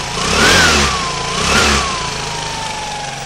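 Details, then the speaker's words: Aprilia Sportcity One 125 scooter engine (2008–2015), 13 kg compression, on stand: two quick rev blips then steady idle, light buzz from the stand vibration; no abnormal noise, good rev response, no white smoke, engine healthy. "El ralentí le mantiene constante. No se aprecia ningún sonido extraño en el motor. La respuesta de las vueltas es muy buena."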